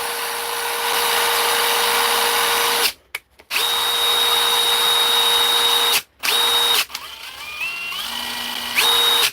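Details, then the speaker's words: DeWalt driver after repair: clean, steady high whir in repeated bursts, starting and stopping crisply with no grinding or rattle; declared fixed. "That's perfect. I'm happy with that. I'm calling that fixed."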